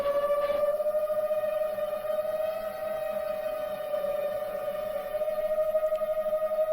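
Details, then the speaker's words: Seven-inch FPV quadcopter DVR audio before crash: loud steady whistle near 600 Hz with faint overtone over motor drone, changing with rpm; cause unknown, not thought to be a loose prop. "there's like really crazy whistle do you hear that what is that I don't think that's normal for a seven inch"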